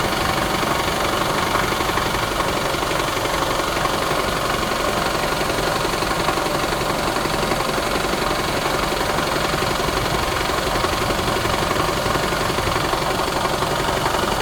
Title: Rattle noise 2017 camry se, any idea what is making the noise? Engine mounts & belt tensor replaced!